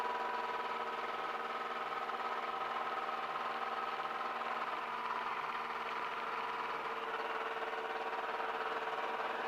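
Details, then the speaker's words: Aircraft piston engine at idle on the ground before run-up, recorded as audio test of new cable connection: steady even drone, constant tone, no misses or knocks; idles smoothly and healthy. "So this is an idle, roughly."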